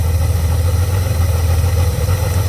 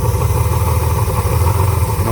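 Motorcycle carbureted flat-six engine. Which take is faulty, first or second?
second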